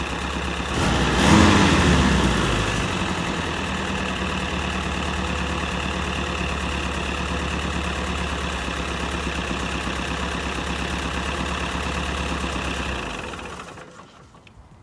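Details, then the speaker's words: M151A2 MUTT four-cylinder after valve adjustment of loose valves (0.017 in) and idle lowered from too high: steady, even idle, smooth low rumble, no ticking or misses, quiet valvetrain; reaches 55–60 mph with strong pedal; normal idle. "sounds a thousand times better I know what it sounds like on camera but I ain't messing with it because I'm telling you I'm getting up to 55 and 60 without a problem now on the main road"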